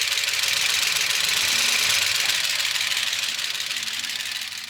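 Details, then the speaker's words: Gen 6 454 big block Chevy in a 1976 C30 dually, over 60 psi oil pressure but top end bone dry after revving: rapid dry metallic clatter about four ticks a second over a thin engine note; lifters starved of oil. "These things are bone dry. And that's why it's so clicky."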